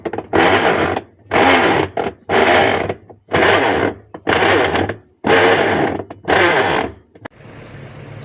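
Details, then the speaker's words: Sharp ES-818X 8.0 kg washing machine; rough grinding bursts with each agitator stroke about once a second, louder when held by hand: worn gearbox, fix is replacing the gearbox. "Okey kalau mesin kau orang bunyi macam ni confirm masalah tu berpunca daripada dia punya gearbox ni."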